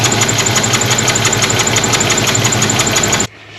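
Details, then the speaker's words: 1977 Pontiac Trans Am 4-speed, water in the breather and very dirty oil: a rough, uneven idle with a sharp top-end tick and a lope that skips beats, a miss from a rocker on a cam lobe going flat. "I can hear a miss and see. I can see that there's a missing right now."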